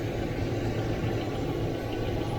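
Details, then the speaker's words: Stethoscope probe on the inside of the valley of a 1993 Range Rover LSE engine at idle: rear hydraulic tappets give an even, steady hum with no ticking or clatter, quiet and healthy. "This one here is quiet now. Quiet. One there. It's a little bit noisy, but not nothing too bad. Smooth. Smooth."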